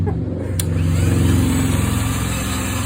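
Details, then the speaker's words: VW GTI 2.0T engine bought from wrecked car, no-start, milky oil cap: compression test cranking on starter, fast, light, even rhythm about four beats per second with no firing; low compression on all cylinders, two with none. "low compression all the way across these two have nothing"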